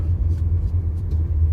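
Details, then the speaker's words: Used automatic car driven hard over a speed bump and rough road to check suspension: dull, even low thump and rumble with no metal clunks, knocks or odd noises; suspension sounds healthy. "Ya, tadi kita udah ngelewatin jalan yang lumayan keriting dan halus, nggak ada suara yang aneh."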